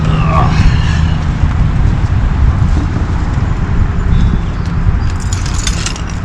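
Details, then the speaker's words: 2014 Chrysler Town & Country van rolling after front wheel bearing replacement: steady low road rumble with no rising hum or growl; the previous hum above 25 mph is gone. "Well, good news, guys. My efforts in the AutoZone parking lot have paid off, and that annoying hum that was coming from the bad wheel bearing is now gone."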